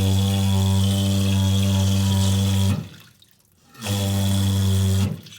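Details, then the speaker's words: Toilet cistern fill valve: a loud, steady low drone with overtones while refilling, stopping and restarting. Caused by a stretched, misshapen fill valve washer, which was replaced. Fill valve drone from worn washer. "so what I've done is I'm screwed up there and tilt the washer out that sits down you can see there's quite stretched just not the right shape either so that's the issue"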